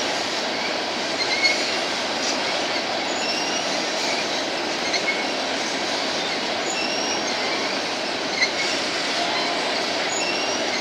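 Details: BNSF empty grain train at sunset, headed to North Dakota for reload, led by two GE locomotives: steady rumble of passing cars with faint brief high-pitched squeals coming and going; a few cars have squealing wheels.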